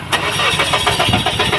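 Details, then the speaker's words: Mazda 3 cranking briskly with an even chug but never firing: low fuel pressure at the engine; fuel filter replaced, then fuel pump assembly replaced as pressure stayed weak. "Ito mga boss basda 3 ayaw umstart. So tiningan ko yung kanyang fuel line. O mahina yung pressure."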